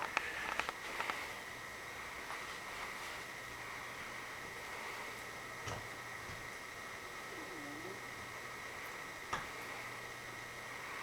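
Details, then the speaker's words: 1980 antique copper Casablanca Zephyr ceiling fan, Emerson-made 1.5 amp K63 motor, turned to slowest low: quiet, steady low hum with a faint even whine, no ticks or rattles; running normally. "all the way pillow down this is the slowest low he can do"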